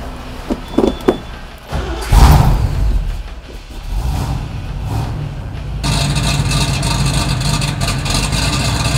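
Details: Restored 1969 Chevrolet Camaro RS/SS, 396 big-block V8, 4-speed, Flowmaster dual exhaust: bumps and handling noise, then the engine fires and settles into a deep, steady, even idle with a loud exhaust.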